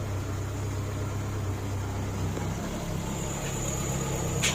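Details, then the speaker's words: 1999 Kia Sportage after fan belt replacement and retensioning to cure overheating: steady low idle with no belt squeal, whine, chirp or bouncing, just an even hum; belt drive running quiet and healthy. "again and there's no squealing no whining the belt's not bouncing so i think that is a good tension for it seems to be happy now"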